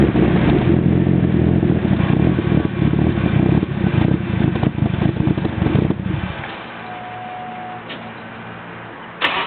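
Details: Nissan 200SX SE-R with Bluebird SR20DET turbo engine and BC stage 2 264/264 cams idling roughly with no throttle, surging up and down and dipping toward a stall after boost; the cause was a vacuum leak from a nipple blown off the intake manifold.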